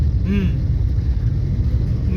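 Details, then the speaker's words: 2007 Swift on test drive after carbon cleaning: even, steady engine rumble under road noise, no misfire or knocking; smoother than before and 3-4-year-old warning lights cleared. "Okay, smooth అయింది, vehicle smooth అయింది ఇప్పుడు. Okay, అప్పటికన్నా ఇప్పుడు కొంచెం better."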